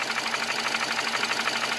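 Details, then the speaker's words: 2008 Nissan Versa hatchback 1.8, 188,000 miles, idling with check engine light (previously flashing): uneven stumbling tick with irregular dropouts, a misfire that started today; turned out to be faulty ignition coils. "okay so this is a 2008 Nissan Versa Hatchback with the 1.8 in it it's my grandmother's car and we have a misfire definitely you miss [Applause] I think it might be a coil"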